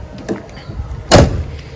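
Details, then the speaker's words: Corolla Twincam door that was hard to close, after its latch cable linkage was repaired with a glued cable tie: closes with one clean, solid thump, latching easily. "Nah, mari kita uji bagaimana performa dia menutup pintu. Nah, sangat mudah sekali ya, Teman-teman."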